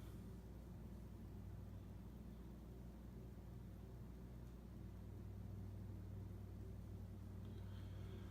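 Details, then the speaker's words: Casablanca Four Seasons 48" K55 ceiling fan, possibly 1981, Slumber Quiet control at medium-high speed: steady even low hum at constant speed, no ticking, wobble or rubbing; normal running. "Okay, let's bump it up to medium high. It's cranking pretty good."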